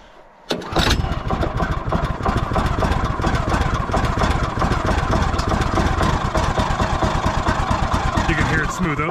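Engine catches after a brief crank, then settles into a steady, even putter with no misses or knocks: a healthy warm idle.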